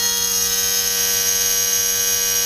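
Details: Electric vacuum pump added to an Audi A3, teed into the boost gauge line, running at about 28 inHg before the bleed valve is opened: steady even high-pitched whine, no knocks or rattles; normal running.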